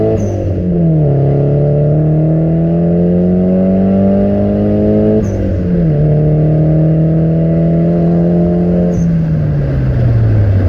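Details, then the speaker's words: Nissan 200SX S14 on a road test after fitting cheap AliExpress injectors, which cured lean running and jerks: pitch climbs smoothly and evenly on each pull to the rev cutoff, drops cleanly on lift-off, no stumble; healthy revving. "as you have seen the car is going much better now that it does go up in revs constantly"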